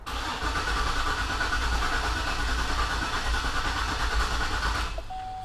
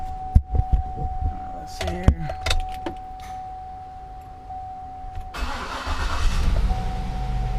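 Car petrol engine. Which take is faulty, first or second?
first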